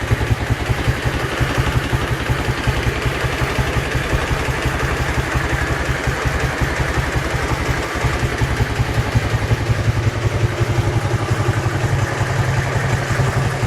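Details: Dnepr-11 boxer twin motorcycle at idle: sharp, regular clatter of about three knocks a second over the exhaust beat; knock whose source was not found even after opening the engine.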